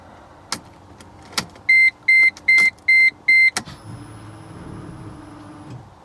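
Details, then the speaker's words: Manual-swapped Mercedes C55 AMG, 160,000 miles, key-on after new fuel pump install: a few chimes then faint steady high whine about two seconds as the pump primes; gas gauge working, normal. "Alright, gas gauge is working. Hear the pump priming. So we should be good."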